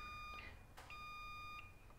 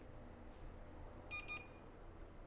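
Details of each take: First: Western Digital 2060-701444-004 hard drive PCB: two clear high multimeter continuity beeps, one short and one longer, when probing a capacitor to ground; capacitor shorted to ground. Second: Multimeter continuity check on a Western Digital 2060-701444-004 hard drive PCB, testing corroded capacitors around the 5 V line: two short high beeps a moment apart as one side reads to ground, likely coupling capacitors; no short to ground found.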